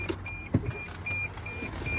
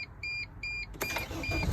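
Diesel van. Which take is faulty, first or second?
first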